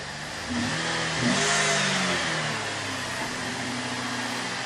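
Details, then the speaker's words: 2013 Chevy Impala rebuild, started after topping off and changing the power steering pump, which had a bent pulley or shaft. Engine catches with a brief rev, then settles to a steady idle with no whine or knocking; owner says the whine used to come on under throttle before, suspecting the water pump. "And she sounds good."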